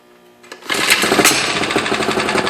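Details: Motorized 29er bicycle with a small two-stroke engine, no internal mods, cold start with choke on after not running that day: quiet start, then sharp, high buzzing rattle rising to a steady half-throttle drone; it starts right up and runs fine.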